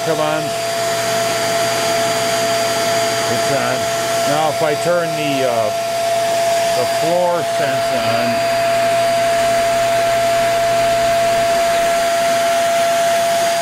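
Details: Hoover REACT Professional vacuum: steady suction motor whine while the power-head brush motor cuts in and drops out intermittently; faulty power-head switch/floor sensor suspected, brush runs with sensor pins jumpered on the board.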